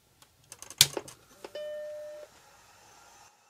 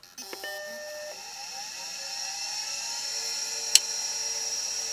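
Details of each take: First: Vintage Mac after power supply adjusted to just over 5 V on the 5 V rail and 12.2 V on the 12 V rail: a few clicks, then a single clean startup bong and a faint steady hum; powers up normally. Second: Suspect hard drive from the machine marked "bad HD", on power only, not connected to motherboard: rising spin-up whine then steady high hum; it had spun up, seeked and immediately spun down, cause unknown.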